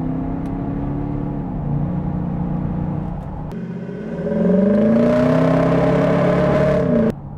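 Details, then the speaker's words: Audi Q7 4.2 V8 TDI with V12 GTB2260VK turbo upgrade, around 500 hp, under hard pull: revs climb in a rising whine faster than drive takes up; the automatic gearbox, past its limit, slips between gears. "A bit of slipping."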